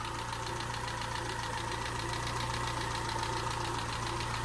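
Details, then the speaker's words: Peugeot 207 engine first run after a snapped timing belt, head gasket rebuild and new timing belt; light quick even ticking over a steady idle, too tappy, owner thinks tappets may need readjusting, not confirmed. "so there we go sounds a little bit tappy that don't it is that is that too much I think that's too much tapping isn't it but at least we've got a running engine again"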